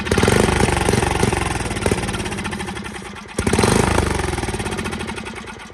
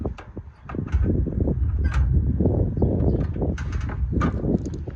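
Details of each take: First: Free Facebook Marketplace Craftsman riding mower with rodent-fouled wiring (owner suspects exposed wires): small single-cylinder engine firing steadily at about four beats a second, with a brief dip and recovery; normal running. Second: Free Craftsman riding mower cranked via jump starter with ether sprayed in: uneven chug with a couple of faint pops, never catches despite compression; spark test showed no spark.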